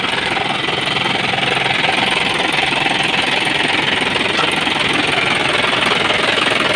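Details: Isuzu 4HG1 turbo diesel, no intercooler, warm after about half an hour running, normal temperature: even fast clatter about 160 beats a minute, steady pitch, no surging; no blow-by found, healthy idle.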